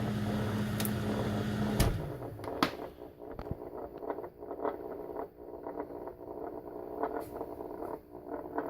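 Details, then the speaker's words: Old fluorescent shop lights with a 40°F shop temperature, cold-climate reloading bench: a loud low ballast buzz for two seconds, then a fainter steady hum with scattered clicks. The tubes flicker and struggle to start in the cold; they are being replaced with LED tubes. "can hear the buzzing they struggle in the cold sometimes I'll heat him up when I come out here my little space heater"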